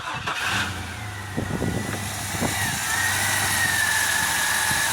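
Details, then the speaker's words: 2000 GMC Jimmy that wouldn't start, after a new fuel pump and new spider injector. It cranks briefly, fires at once and settles into a steady, even idle. "Now it runs like it should be running."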